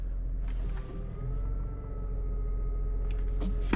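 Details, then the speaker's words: BMW E46 M3, 77,000 miles: thin steady whine over engine rumble with clutch released, rising with revs, gone with clutch pedal pressed; cause unknown, not thought to be throwout bearing since those usually rattle. "we have this strange wine now normally you would think throw out bearing since it's related to the clutch but a throw out bearing usually rattles it doesn't make this noise that actually goes with the engine as far as revving put the clutch in it goes away"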